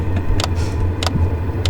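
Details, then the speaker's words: Chinese diesel heater starting up during a blizzard in Rocky Mountain National Park, after a few tries; sharp tick about every 0.6 s over a low hum as the fuel pump clicks and exhaust flows, starting to fire; owner fears altitude may affect the air-fuel ratio; normal startup. "Alright, so this thing just started firing up. I had to try it a few times for some reason. But the fuel pump's clicking. We've got exhaust going. You can kind of hear it starting to fire."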